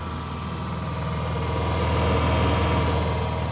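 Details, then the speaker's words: Honda EU7000 fuel-injected inverter generator restarted after tripping its breaker at a 7700 W overload, then run with all load removed: steady, even low hum at constant pitch, no hunting or knocks. Normal no-load running. "so if we take all the load off of it this is what it sounds like with no load"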